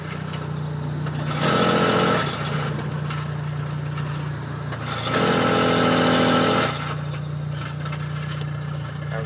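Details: Dodge SRT-4 at startup/idle after a new OEM clutch install: steady idle broken twice by a louder, rougher whirring rattle. Owner suspects the throwout bearing or the clutch slave cylinder.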